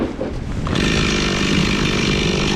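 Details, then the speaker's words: Stihl MS 260 Pro chainsaw after carburettor tuning, about a tank and a half run through cutting firewood: sharply revs to a strong, steady high-rev scream held cleanly; starts well and runs pretty good now, tune considered good. "All right, I think I got it as good as I can as far as tuning. I ran the one tank out. Next one's half down. I just kept cutting on stuff. Seems to be running pretty good now."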